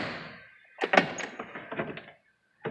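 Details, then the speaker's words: Jeep door after repair, reassembled. It felt like it closed oddly until the forgotten push pins were pushed in. Door opens with a soft thunk and a brief detent click, no creak or pop; normal door check operation. "I was trying to figure out why the door felt like it was closing funny. Turns out I forgot to push the push pins in. So, nice and quiet now."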